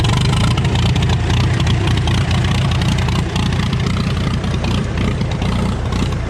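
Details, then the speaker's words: 1936 Farmall F20 hand-cranked after a carb adjustment and magneto advance: a loud, steady low chugging, firing evenly without stumbles. Normal running. "Oh, I forgot about my can. That sounds better. There's a little carb adjustment."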